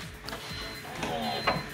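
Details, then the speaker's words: BMW E46 330Ci, heard standing by the rear tire at key-on: faint steady hum for about two seconds then clean cutoff; fuel pump priming normally, so pump likely good. "Okay, that's a fuel pump. Let's go again. That's a fuel pump, guys."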